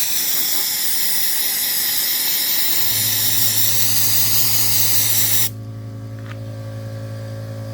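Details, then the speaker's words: Mastercraft media blaster, hopper half-filled with abrasive granules, aimed at rust and paint: loud, steady high hiss of air and grit with a low compressor hum coming in, then the spray stops. Blaster works well and quickly, normal blasting. "Works pretty damn good, pretty quick. Yeah, she does a really good job, guys."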